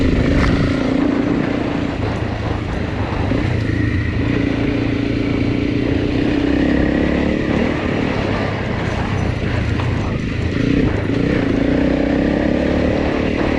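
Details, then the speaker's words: Honda CRF300 Rally single after replacing cam chain, tensioner and followers; former hot, low-rev overrun noise gone, no other noises. Steady even thump at fast idle, no tapping or clatter. "Um but it's gone. So, I'm very happy. Seems to go okay. No other noises."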